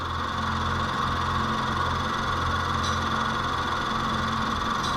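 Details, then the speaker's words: 2014 Nissan Note E12, scan tool now reporting vacuum leak: idle with faint uneven lope and light hiss; went from running rich to running lean, searching for the leak. "all right so it's running a little rough so we gotta figure out where that extra fuel is coming from"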